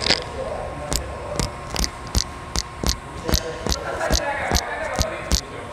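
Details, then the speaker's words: Toyota Hilux at 270,000 km 10,000 km service, mic held near the wheel: steady scrape-tick about twice a second, once per wheel turn, as pads ride a burr/lip on the worn disc edge; brake job expected next service. "ó tá vendo o melhor escutar o disso é uma rebarba então mais 10 mil km de atenção"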